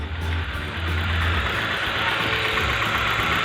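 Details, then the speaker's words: 2011 Hyundai i20 petrol engine at idle with uneven, lumpy low throb from a misfire; unplugging coil packs one by one showed no change on cylinder 2, the faulty cylinder. "Uh, Hyundai i20, I have a misfire problem. 2011."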